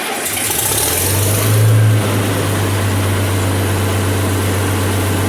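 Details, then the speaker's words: Farmall 706 tractor, IHC C263 engine, first start after Steiner spin-on oil filter adapter install (IHS3934) with oil drained: engine flares briefly, then its note sags and bogs as oil is picked up to fill the empty filter canister. Engine bog at startup. "Wow, that's crazy. You could actually hear the engine bog down when it started picking up the oil."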